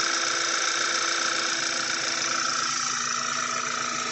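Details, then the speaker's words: Audi B8 A4 after engine rebuild (new rings, sat three years) and starter cable electrical fault fixed, first run with half the car disconnected: even steady idle with light whirr, no knocks or misses; running very smooth. "it's running very smooth"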